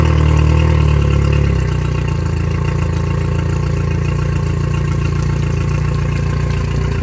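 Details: 2021 Yamaha F70 70 hp four-stroke tiller outboard, about 128–129 hours, bench test after new ECM, harness, starter, PTT relay, oil, filters and plugs: starter whirs briefly, then a smooth, even low idle with steady hum, no knocks or misses.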